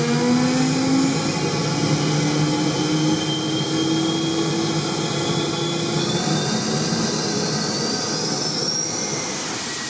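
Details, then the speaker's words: Kerosene turbine jet motorcycle, afterburner tested in the garage after a redesign with a ring nozzle at the bottom of the stabilizer; steady jet roar with a smooth whistling tone that follows turbine speed, no popping or flame-out, stable at all speeds. "Yes friends! This is victory! The result is a high-quality, stable afterburner that does not blow away at any speed."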